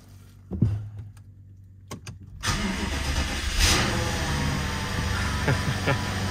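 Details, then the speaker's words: BMW 750Li first start after transmission repair, subframe reinstall and fixing a no-start: brief crank, then a smooth, even idle with no roughness or exhaust rattle, smoother and quieter than before. Normal idle. "a lot smoother and quieter than we had before"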